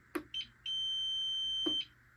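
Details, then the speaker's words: APC CS 350 UPS after squeezing battery terminal tighter: two short chirps then steady high beep about a second; powers up and goes online normally. "Yep, online. Right there. Sounds good too."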